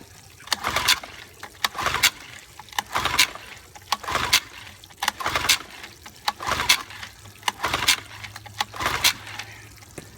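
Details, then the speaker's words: 1955 Evinrude 7.5 hp fleet twin outboard on its first pull after reassembly, with new coils, a replacement carburetor, a single-line fuel conversion and the carb primed; spark is confirmed. Steady rope pulls give a dry whirr with no firing: cranking, no start. "I have spark I tested already wish I could spray some starting fluid in there"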